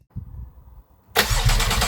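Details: Porsche 911 Carrera GTS 991.1 3.8 replacement engine, run after the fuel line insert (with its cleanable filter) was replaced by one from the spare engine. Quiet, then a quick clean start settling into a steady, smooth idle with no misfire or ticking. Healthy.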